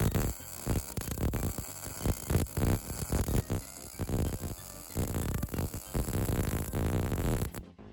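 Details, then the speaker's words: MIG welder after turning the wire feed up, because the weld rate had been outrunning the wire feed: a steady crackling sizzle with even bursts and no long gaps or pops. The second pass sounds and looks more consistent, a normal weld sound. "So I completely blocked the camera in that last shot, but you could hopefully hear that that second time round, the weld sounded a bit more consistent, and you can actually see it looks just a little bit more consistent as well."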